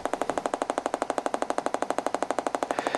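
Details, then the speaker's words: Three-week-old Compaq Presario CQ50-130US laptop with defective sound card; loud, fast, evenly spaced pops about ten a second, like a Geiger counter, steady through the speakers, started a week earlier; cause not confirmed. "it just started doing this and it sounds like a gager counter"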